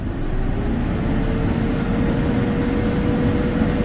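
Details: Tata BS6 diesel truck after new accelerator pedal fitted (fault codes 1242, 428), stationary at full pedal: strong even drone held steady with no stumbles, surging or misses; healthy throttle response.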